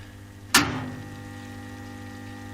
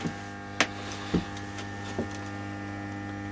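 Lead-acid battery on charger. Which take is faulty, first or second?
first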